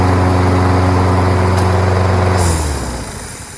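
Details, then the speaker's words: Toro Recycler mower with Kohler XT675 (6.75) engine that used to stall after about 5 seconds; after a carburetor clean it holds a steady even hum at constant speed with no surging, then shuts off and spins down cleanly. "All it needed was a carburetor clean. Even though I didn't feel like the carburetor was all that dirty, there are things on the inner part where I blew out here and there that probably caused it not to start."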